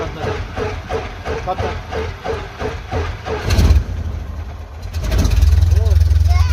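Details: 1969 Cessna 177A Cardinal, first engine start after a 16-year restoration; starter churns with regular pulses, engine catches and settles into a steady even idle with a low propeller drone; normal start and idle.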